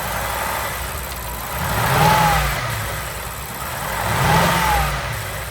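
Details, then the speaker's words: 2005 BMW E53 X5, N62 4.4L V8, warm idle after replacing a broken cooling pipe with no new leaks: uneven, stumbling beat with slow surges; misfire persists, cause not yet found. "Luckily, no new leaks, but the engine is still misfiring."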